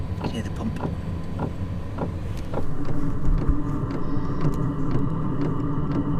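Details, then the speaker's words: Van's under-floor diesel heater after a new, longer exhaust and extended air intake, battery at 13.1 V: fuel pump ticks about twice a second while the fan hum builds steadily. Normal start-up. "So, I'm going to run it up until it starts to idle and then I'll cool it down."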